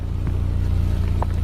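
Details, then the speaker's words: 2010 Subaru Impreza with newly installed Magnaflow 11366 stainless performance muffler replacing restrictive stock one, idling: deep steady low rumble, no knocks or rattles; better than stock, normal idle exhaust note. "too bad a lot better stock so I don't think contour can complain so yeah I mean it's a lot better than that freaking big blob you know"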